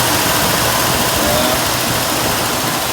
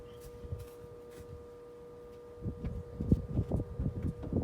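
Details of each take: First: 1968 Ford Mustang after sitting about 8 years, cold start at roughly 25–30°F, running on a swapped-in carburetor and added fuel pump, not from the tank: steady, even idle with rough hiss over low hum, no knocks or misses; normal idle. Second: 1968 Mustang, sitting 8 years, probably points ignition: starter churns about three times a second, catches with a rough roar but dies; possibly fuel-starved carburetor, possible bad condenser mentioned.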